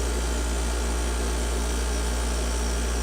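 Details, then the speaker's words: 2006 GoldStar/LG 6,500 BTU window air conditioner, rarely used, Panasonic compressor, on low fan (F1): steady, rough low growl from the fan; bad fan motor bearings, possibly from disuse. "Yeah, this poor thing's got bad bearings."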